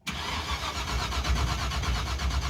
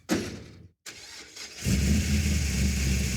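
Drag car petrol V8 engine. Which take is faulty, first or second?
first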